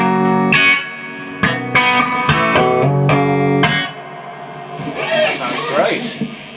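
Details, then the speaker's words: VOX AC30 reissue valve amp after no-output repair with new valves, at full wattage: crunchy overdriven guitar chords ring out full and clean, no crackle, hum or dropouts; amp working properly. "that sounds absolutely great"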